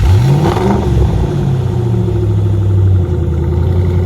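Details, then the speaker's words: Crash-damaged salvage Ford Mustang, cold start: deep exhaust note climbs quickly on a blip, then drops back to a smooth, even low rumble; engine revs cleanly and sounds really good; normal revving. "Sounds really good, that."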